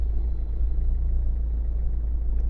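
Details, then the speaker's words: Renault/Dacia 1.5 dCi diesel (Megane) running cold, seemingly on three cylinders until warm after about five minutes: deep, shaky idle with uneven low throb and missing beats; misfire traced to a failed injector. "Yeah, so this injector is game over."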